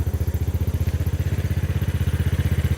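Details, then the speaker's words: 250cc Hammerhead go-kart, came in dead-battery, non-running, broken throttle, after basic work; cranked with no gas, quick even thumping single-cylinder idle with no stumbles, smoother than its earlier shaking: normal idle. "Yeah, it's even running better. Like, it was really shaky before. Now it just sounds smooth."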